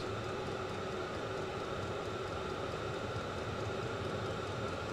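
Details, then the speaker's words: Vevor 5 kW diesel parking heater on its first run with kerosene, 12 V car battery suspected low on volts. Just lit and climbing like a jet, gauge at 54. Steady even roar, constant whirring, no surging or popping. Running normally. "yep we're climbing you can hear it it takes off like a jet and watch this gauge should start going up"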